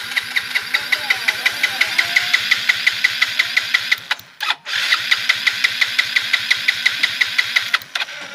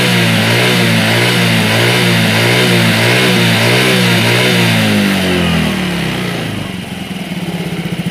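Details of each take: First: Yamaha Mio J fuel-injected scooter with new non-original injector that sprays continuously at key-on: two long cranking bursts at a steady starter rhythm, no catch either time; hard starting, though fuel pressure still above 40 psi. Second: Yamaha Mio J fuel-injected scooter after the injector fix, engine at 84–85 °C with good O2 sensor data: a clean, even buzz held high, then dropping smoothly back to a steady idle; normal revving.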